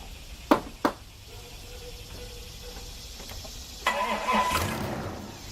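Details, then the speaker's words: 2000 Isuzu Rodeo 3.2 V6 after rebuild with new crankshaft, bearings, connecting rod, head gaskets, rear main seal and timing belt, first start: clicks, short crank, catches and settles to a quiet even idle, only fan clutch heard; normal start-up. "you hear that that's all you hear is the fan clutch going no ticking no knocking no nothing this is a perfect job"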